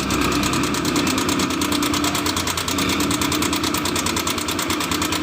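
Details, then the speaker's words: Honda Vario 150 scooter, engine noisy for about a week, at idle: fast even metallic ticking about twice a second; mechanic suspects cam chain or valve rockers. "Nah, di sini ada suara berisik di bagian mesin. Kira-kira teman-temanku yang di rumah bisa menebak apa yang terjadi pada mesin ini, apakah di bagian di box spiti atau mungkin di bagian nyelangin."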